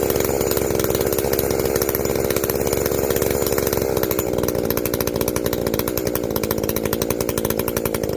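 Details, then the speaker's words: Echo CS-590 chainsaw after carb limiter removal and opened-up exhaust, high jet turned up a full turn plus low jet richened: crisp, steady two-stroke scream at even revs under cut, no bogging or four-stroking; clean tune, not running hot. "it is definitely not running hot uh i mean from what little bit i tested here all that heat is getting out we've opened up that exhaust it's getting out of there"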